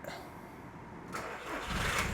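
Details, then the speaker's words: VW Bora diesel after a new battery, new tyre and exhaust repair: brief crank, then catches quickly and settles into a steady, even idle with no odd noises, sounding much better. "There we go. Much much better. Sounds like the golf now as well."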